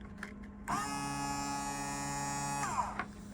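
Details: Rule automatic bilge pump on a Rule 3-way switch, run on the manual setting; a clean, steady electric motor whine for about two seconds at an even pitch, then stops; healthy pump.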